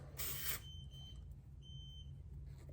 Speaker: so it's saying it just lost pressure so oh yeah this is about 34 and a half so we probably lost maybe half a psi when we pulled it off